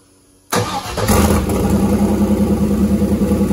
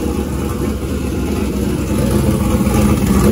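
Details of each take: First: Turbo GM LS V8 in a caravan, first start on a freshly unlocked speed-density tune with air still in the fuel lines: cranks, catches, runs lumpy and dies; 70 lb/hr injectors are set as 25 lb/hr in the tune; rough start from overfueling, heavy smoke. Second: Turbo LS V8 in a caravan after PCM unlock and tune, injector data corrected from 25 to 70 lb/hr, second start attempt: steady, even low rumble at smooth idle with no misses; engine running clean and healthy.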